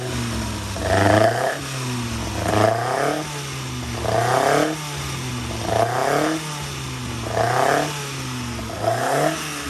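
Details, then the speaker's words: Freshly rebuilt 1200cc Hillman Imp engine (long-stroke crank, longer rods with spacers, upgraded cam, longer valves) on a dyno, blipped about every 1.5 seconds, clean rise and fall back to settled idle, no knocks or rattles; normal revving. "I've been running it in on the dyno, and it runs an absolute treat. It's lovely."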